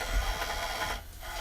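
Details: Xbox One S with a brand-new replacement Blu-ray drive and replaced board: rough scraping grind with ratchety rub when a disc is inserted, pausing briefly near the end. Owner suspects the new drive came defective; cause not confirmed.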